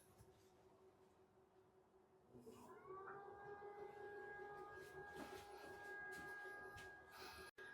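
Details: Potter's wheel at full power, microphone close by: hum rises at switch-on, then settles into a smooth, even tone with a faint whine; motor runs normally.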